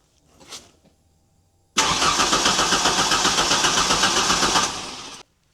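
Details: 1991 Ford Ranger 2.3 with many ignition and fuel parts already replaced. A new timing belt is fitted but not yet timed, and the crank sensor is refitted. Steady starter cranking for three seconds never catches: crank, no start.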